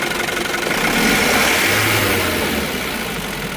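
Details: Isuzu D-Max 2.5 TD diesel, 2021 model, 48,000 km: clatters up under throttle and eases back down smoothly, even and free of knocks or misfires; engine sounds healthy.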